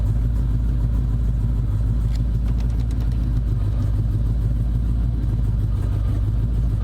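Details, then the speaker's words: Ford SVT Terminator Cobra with a fueling problem, running after a fuel pump fix attempt: an uneven, lumpy low rumble that wanders and stumbles; fuel pressure still only about half a PSI, so the problem is not fixed. "Nope, still having like dog shit. Still low? Yeah, it's still getting half a PSI."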